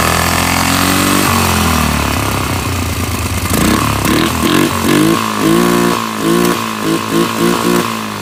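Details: Polaris 500 HO single-cylinder ATV that came in as a no-start, with awful-smelling old fuel and mouse droppings: settles into a steady idle, then several crisp blips that rise and fall cleanly; runs and revs as it should.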